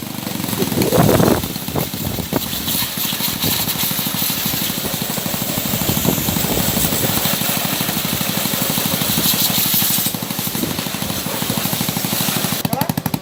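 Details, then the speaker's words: Motorbike sprayed with water: uneven, jerky stumbling run; cause is an oxidized ignition connector that misfires once water gets on it, fixed by cleaning and crimping the connector tighter. "Nguyên nhân là do nó bị oxy hóa cái rắc này, nếu mà có một ít nước xuống là nó sẽ bị cà giật."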